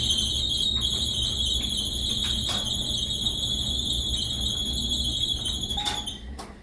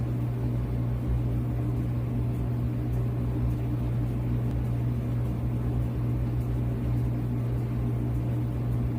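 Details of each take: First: Whirlpool dryer, circa 2018, running: constant shrill high-pitched squeal over the low rumble of the turning drum; suspected worn dryer belt needing replacement, not confirmed. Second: Whirlpool dryer circa 2018, reassembled after a squeaking belt repair, running: steady, even low hum with no squeak, thump or scrape; motor and drum turning quietly and smoothly.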